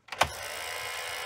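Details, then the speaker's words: Johnson OK-33 Beta tape rewinder, pressing stop during rewind: sharp single thunk as spinning reels stop, then light whir; weak braking lets tape overrun and coil up. "And see, you hear that thunk? It uh doesn't have the best braking system."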